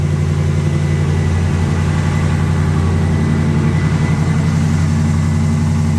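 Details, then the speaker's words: AMC 360 V8, first start after two weeks off at about 20 degrees, cold: steady low rumble idle with a faint quick ticking from an exhaust leak. "sounds good and uh the ticking that you're hearing is an exhaust leak"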